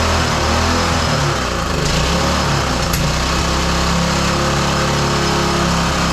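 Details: Roadside-salvaged small lawn mower engine for the Tommy Gun mini bike, started after choke on then off; it buzzes at a fairly steady high speed with a slightly wavering pitch. The cause of any roughness is unclear, and a spark plug change follows.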